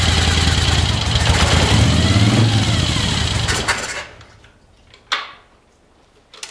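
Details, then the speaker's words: 1975 Moto Guzzi being revived, fuel bowls full, choke on, cold start: fast, busy high idle because the choke plungers are up. "that's what I wanted to hear it idled really high at first because the the the choke flungers were up"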